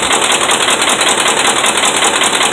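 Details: Dodge Ram 5.7 Hemi V8 held at about 1,600 rpm with hard, rapid metallic knocking from bad connecting rod and crankshaft main bearings.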